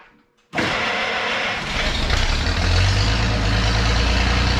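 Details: 1932 Chevy truck after tune-up, started for a short local drive: catches immediately after short crank, settles to even steady idle that firms up slightly; running like it used to.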